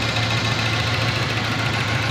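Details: Toyota 7K engine misfiring: idle sounds lumpy, with uneven thumps breaking the beat instead of a smooth run, a cylinder missing at idle.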